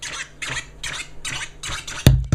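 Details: Brand-new NS7FX controller on a MacBook Pro 2.0GHz quad-core, scratching: rhythmic scratch sweeps, then two sharp loud pops jumping above the music and the limiter engages; clicking/popping glitch of unknown cause, absent when run on another 2006 MacBook.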